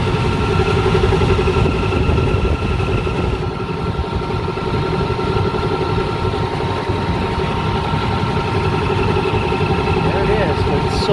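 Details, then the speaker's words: Rooftop AC unit that kept tripping its breaker, not cooling: constant droning whine over rough rumble; dry bearing in the indoor blower motor, confirmed in the motor itself with belt off. "it sounds like a dry bearing i'm getting like a dry bearing sound from this guy"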